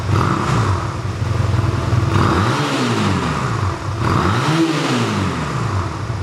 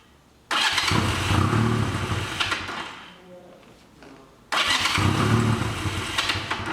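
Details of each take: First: 1985 Honda Rebel single-cylinder with only 2000 miles, first start after about 17 years stored, running on reserve fuel while warming up: steady idle with clean, crisp revs rising and falling smoothly, no knocks or misses; healthy normal idle and revving. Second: 1985 Honda Rebel with 2000 miles, first start after about 17 years stored, cold on choke, runs rough and uneven, won't rev, stalls and is restarted; clogged carburetor jets.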